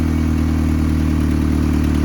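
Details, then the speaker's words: Car at idle before new exhaust system: loud deep exhaust drone with faint rattle as the pipe vibrates against the floorboard. "it is noisy not to mention the pipe vibrates against the floorboard and you hear this God awful noise in the car when you're sitting at idle"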